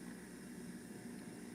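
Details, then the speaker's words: Juicer after disassembly freed its stuck-off safety switch, running with quiet, even motor hum and soft hiss, no dropouts while cord is wiggled; on/off and safety switches working, normal running. "Check the other end where it plugs in. No problem. Onoff switch is working. Safety switch is working."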